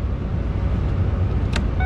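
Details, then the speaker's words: 4WD overlanding van with push-button start, warming up after starting. A low, steady V6 hum at normal idle with no knocking or belt squeal. "just listen to this hum oh man no real knocking or nothing no belt squealing"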